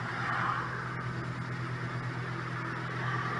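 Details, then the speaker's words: Hyundai i30 1.4 petrol with crank-no-start immobilizer fault, after unlocking Kefico Bosch M7.9.8 ECU (immo off): engine just fired and settles into an even steady hum with no misses; normal idle after start. "πάμε να το βάλουμε μπρος στο αυτοκίνητο τώρα δεν έχει φαίνεται καθόλου μονάδα immobilizer όπως πριν που φαίνονταν ι αυτό είχε το πρόβλημα και πήρε μπρος"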